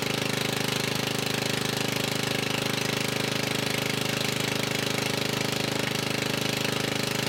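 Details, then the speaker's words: Murray riding mower single-cylinder engine running with exhaust removed after a stall, fuel lines replaced; loud raw bark at steady fast idle with sharp even pops, still smoking a little, likely from sitting. Running with exhaust removed. "that's not bad it may have been stolen just from having no gas in it too but I do know that it's still smoking a little bit and that's probably just from not running for a while so we'll go ahead and get the exhaust put back on there"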